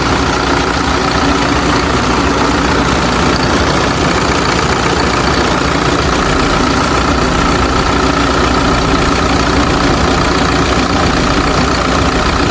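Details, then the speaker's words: Hino J05E diesel truck engine after injector replacement, before QR-code injector calibration: even, steady idle with soft clatter, no sharp knock, stable revs; engine knock gone and RPM fine. "ඒ වුණාට engine එකේ සද්දේ engine නොක් එක හරි ගියා. RPM එකත් අවුලක් නැහැ."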